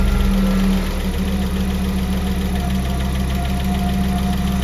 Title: Audi 3B Lifter Tick